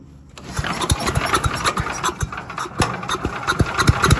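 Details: Cheap used chipper/shredder bought not running, being restarted the day after it first ran, started on choke then unchoked. Small single-cylinder engine catches quickly into a lively, popping beat and keeps running on its own; normal running.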